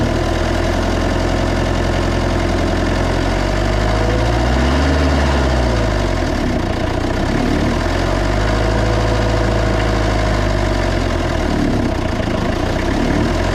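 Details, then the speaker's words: Old 1990s Toyota SDK7 diesel skid steer that sat outside for years: loud diesel drone surging up and dropping back instead of settling, idle runs too high like it wants to run away, throttle impossible to set; cause unknown, oil pressure good. "see there's just no way that can be right um there just no way because it's just way too hard to get that to get that throttle right"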